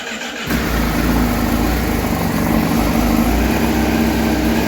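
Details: 2020-on Honda Fireblade RR-R SP, keyless start, road bodywork removed before dyno run-in: brief crank, then catches and settles into a steady, even idle with a subdued, quiet exhaust note; normal start and idle.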